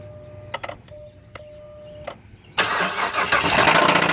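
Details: 2007 Chrysler Sebring 2.7L V6 with a long block replaced four years ago (about 60k miles on it, 129k overall): chimes, then cranks and idles with a quick regular knock. It began as a small tick, with blue smoke at cold start and power loss uphill; source disputed (lower pan vs top).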